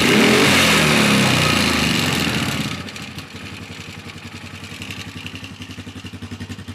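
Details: Polaris Sportsman 450 ATV with its original Mikuni carb restored to replace a junk aftermarket carb and fuel pump, started with no choke or enricher: it blips, then holds a steady, even idle thump. Normal running; the owner suspects an odd clicking is starter clutch rollers.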